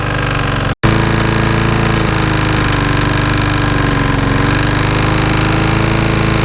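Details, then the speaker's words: Qualcast lawnmower engine, serviced for smoking, hunting and knocking, idling during a 20-minute test run: loud, steady idle with a fast, even pounding beat under the exhaust, likely a lower-end knock. "Okay, I don't know if you can hear me or not, but I'm not happy with this engine at all. It's got a knocking noise coming"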